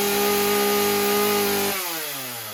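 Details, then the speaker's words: Husqvarna 36 two-stroke chainsaw after stuck-needle fix and idle reduced: good response, steady high scream at full throttle then dropping off; high-speed mixture running rich, adjusted only slightly leaner. "it's got good response to it but I can hear that it's rich on the high end so you listen to it now how it changes okay"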